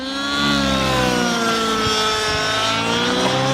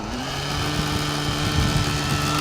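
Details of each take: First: OS 105HZ-R glow engine in an RC helicopter during run-in tuning, after adjusting mid-range mixture; clean, steady buzzing tone that swells with throttle, more responsive, still slightly rich. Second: OS 105HZ-R nitro engine in an RC helicopter, near the end of running-in with top-end and mid-range needles still rich: steady high-pitched buzz with a soft, burbling edge; power is sluggish.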